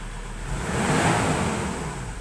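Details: 2018 Ford Ranger Wildtrak 3.2 diesel after its no-start problem was fixed: picks up smoothly in one even rev and settles back without misses, knocks or hesitation; runs healthy.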